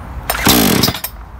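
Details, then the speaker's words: Blue Max 22-inch 57cc two-stroke chainsaw, brand new, first start: choke closed, chain brake on, two quick cord pulls, then a short sharp firing burst as the engine pops once wanting to start, the cue to push the choke open. "until i hear the engine pop wanting to start when i hear that then i'm going to push it in the open position and continue pulling the cord until it starts"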